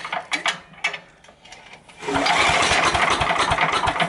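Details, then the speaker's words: Over-30-year-old Sears Craftsman 9HP chipper/shredder, full choke, throttle about three-quarters, after adding fuel: a few pull-cord tugs, then it catches and settles into a steady, even beat; healthy start and run. "there you go we get it all off that sounded really healthy to me"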